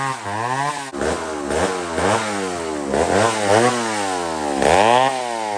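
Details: McCulloch 1-71 chainsaw with major carb upgrade, 3/8 chain, intake double-gasketed to fix an air leak; after repair it revs up, bogs into each cut and clears out cleanly, pitch recovering fast with no stumbling. Normal running under load.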